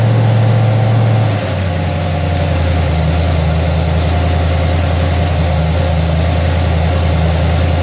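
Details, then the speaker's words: Ford XC Fairmont 351 V8 on a run stand with new Thermoquad carburetor, choke not set up: after a quick drop in revs, settles into a steady, even, deep idle without knocks or misses; not perfect but running all right. "it's not perfect but it is running all right"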